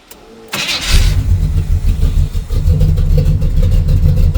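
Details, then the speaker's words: V8 running a rebuilt 600 carburetor for a Ford truck, idled down to about 500 rpm: cranks briefly, catches at once with no pump shot and settles into an even, lumpy idle; sounds pitiful at that speed but starts cleanly, normal. "But you can see it sounds that sounds pitiful, but she should fire up with no pump shot or nothing."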